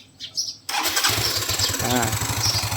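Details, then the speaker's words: Yamaha Mio 125i scooter restarted after replacing the faulty fuel injector that caused hard starting and stalling: short crank, catches at once and settles into an even puttering idle; starts easily, runs normally. "ติดแล้วนะครับก็สรุปอาการของรถคันนี้นะครับYamahaNeo1225iนะครับหัวฉีดเสียนะครับก็ทำการเปลี่ยนนะครับรถก็ปกตินะ"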